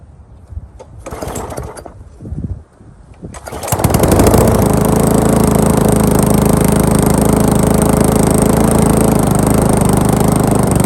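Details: Briggs & Stratton lawn mower, first start after rebuild: a few pulls, then it catches and holds a steady, even drone with no hunting or misses; running healthy, may smoke from oil after being tilted.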